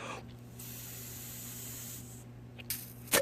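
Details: Chinese PZ20 20 mm carburetor float adjustment by bending the tab, fixing vent tube fuel leak: blowing into the inlet gives a steady airy hiss that cuts off cleanly as the float rises near 90°; needle valve sealing properly.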